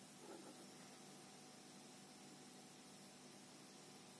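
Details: Microlab Solo 9c powered speakers with no music playing: a steady, even, quiet but constant hiss, sometimes louder, with a light hum; background noise from the speakers, cause not yet traced.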